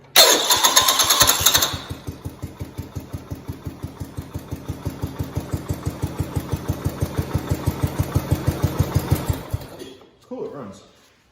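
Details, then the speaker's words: 1971 John Deere 110 test-started after crank seal replacement, with the engine known to be loose and noisy since its head gasket job: slow, laboured cranking with a rough gnashing as the starter engages; flywheel ring gear teeth badly damaged. "oh my these teeth are not pretty on this flywheel which explains"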